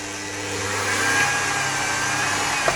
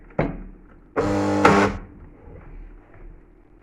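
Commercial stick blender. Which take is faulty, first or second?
second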